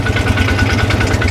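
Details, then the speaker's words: 2005 Polaris Ranger 4x4, previously repaired by another shop (bad cam fixed, low fuel pump pressure found): idling a few minutes to cycle coolant, even steady low thumping with no knocks or ticks; runs smooth, normal idle. "So, I'm going to let this run for a couple minutes. I got to let the coolant cycle through."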